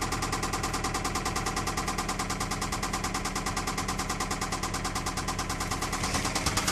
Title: 2008 Toyota Camry engine knocking